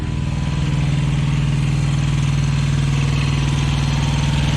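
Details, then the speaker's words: Thermo King Evolution APU small diesel, just started, cold before warm-up: even steady idle about four pulses a second, no knocks or exhaust rasp, much quieter; normal idle. "much quieter hear that here we go i'm gonna let that i'm gonna let that warm up a little bit"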